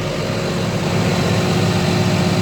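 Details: CAT 966G loader with freshly overhauled 3176 diesel, previously low power and misfiring from dead number 3 and 4 injectors: after the fix it runs steady and even, a deep low rumble with no misfire or stumble, RPM rising quickly.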